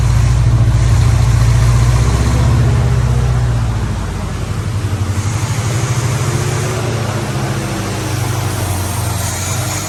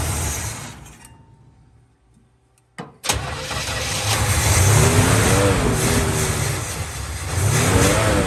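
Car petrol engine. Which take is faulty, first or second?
first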